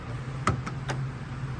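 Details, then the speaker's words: On an aging BMW X5 V8, a water-soaked control module has failed. Three sharp clicks about a fifth of a second apart over a low hum as the actuator clicks without operating, and the assembly now won't shut. "what happens next is that the module that controls this entire assembly ceases to work uh-huh I can hear it clicking but now it won't oh tears"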